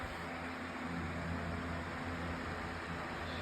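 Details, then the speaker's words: Lasko 18-inch table fan refitted with a 16-inch Optimus blade because the original blade was too heavy for the motor, running on high speed. Soft, steady whoosh with a faint hum and no ticking or wobble. Normal fan running. "and that's actually whipping out a pretty good breeze, not going to lie."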